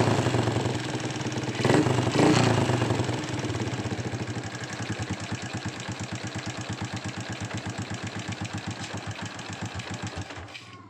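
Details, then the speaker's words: Honda Supra X125 restarted after repair: brief rev, then a steady, even single-cylinder idle putter with no ticking, the loud rattle complaint fixed and the idle clean. "Oke sudah selesai ya kita coba hidupkan lagi ya suara kemelitiknya hilang tuh"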